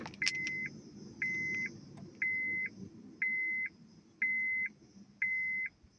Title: honda civic 8th gen won't start .what is the problem?